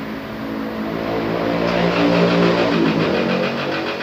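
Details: Isuzu D-Max diesel just after an engine rebuild, left idling to run in: steady, even, quiet clatter with a light rev swell and no knocks or rattles; normal idle.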